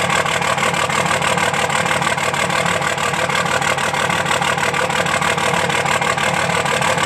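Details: 2005 Dodge Cummins diesel at idle with one injector not firing; the clatter is broken by a regular stumble about three times a second. Dead cylinder misfire.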